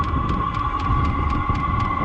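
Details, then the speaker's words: Chinese diesel heater after strip-down, cleaning and rebuild, fired up with the exhaust hot. Even fan hum with the fuel pump ticking about four times a second and a gurgling burner rumble. Running normally. "I can hear the gurgling noise of the flames."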